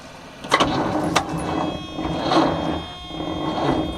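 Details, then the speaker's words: 1976 squarebody farm truck, sat 20-30 years in a field, first crank attempt on a used donated battery: labored, slow, uneven starter whir with no firing; battery too weak, jump pack to be added. "So we're using a battery that a subscriber donated, and I put it on the charger, but that doesn't mean it's a great battery because it's a used battery."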